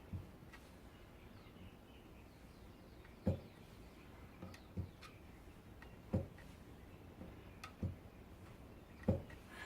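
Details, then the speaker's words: Toyota RAV4 engine on the bench during a rebuild, bare crankshaft with caps fitted levered back and forth with a pry bar; dull, solid knocks about once a second as it hits the thrust bearings on number three cap; crankshaft end float check. "there you go so you can hear that you can hear a knocking sound and that's the the crankshaft hitting against the thrust bearings that are down uh on number three cap"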